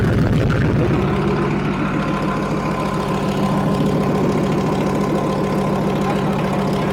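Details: Leopard tank engine test-run after the fuel injector bank O-rings were replaced, checking fuel lines for leaks: big diesel idling with steady, even low chug and slight rhythmic clatter. Running normally, no leaks.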